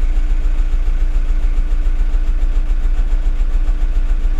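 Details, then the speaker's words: VW T5 diesel just after fuel filter change: running at about three and a half beats a second with slightly uneven hunting rhythm as it draws air from the filter, then smoothing out; rough running from air in fuel system. "you feel that oh that's just getting rid of the airs it's trying to draw in the air from the fuel filter and it's going you know"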